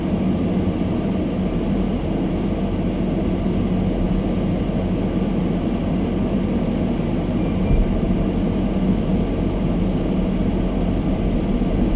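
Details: Almost-new Toyota Prius hybrid driving in sub-zero cold, windows fogged: demister fan at high speed on windscreen, steady airy rush over low road rumble, no pulsing or scraping; loud only due to close camera; normal.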